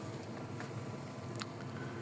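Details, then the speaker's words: Citroen C4 Picasso interior blower motor after repair of a fault where it wouldn't work on any speed, engine running: steady, even whoosh with a low hum and no rattle or squeal, fan balanced and quiet at maximum speed. Normal blower operation. "And if we select our fans, can hear our fan working. Look like our fan balancing is working. Nice silent fan on maximum speed as we reduce the speed."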